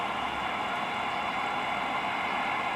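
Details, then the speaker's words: Cobra 2000 CB radio receiver (no receive light, S-meters stuck) fed by an RF generator in CW: constant even white-noise hiss where it should be stone quiet; receiver noise fault, cause unknown. "it did come up a little bit and stuck again so can't really go by the meter but i know you can hear that white noise"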